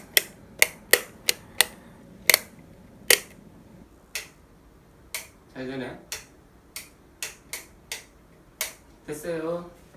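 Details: Three-gang wall light switch, new replacement after the original's first switch seemed to have poor contact: crisp, clean single clicks at irregular intervals, no crackle or buzz; switch works properly.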